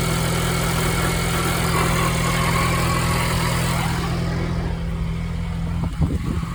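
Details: 2022 Ford Bronco Badlands, 7-speed manual, 3,500 miles, idling in neutral: rough rasping grind over steady idle, dropping away with a clunk; grinding noise in neutral from inside the gearbox, source not pinned down.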